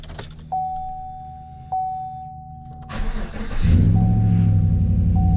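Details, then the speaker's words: 2015 GMC Sierra 5.3L V8 just after new spark plugs and new plug wires were fitted. Quiet clicks, then it catches and settles into a smooth, steady low idle with no misfire or ticking; normal idle. "All right, well, we just got all the plugs in, just fired up. Sounds really good."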